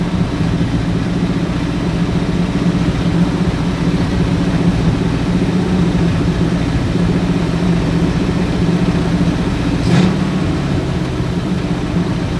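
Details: Ford Galaxie with 289 or 302 V8 (uncertain), just started, timing and carburetor secondary not yet set: steady, quick idle with deep even rumble, no stumble, well above normal speed; fast idle, suspected timing, not confirmed.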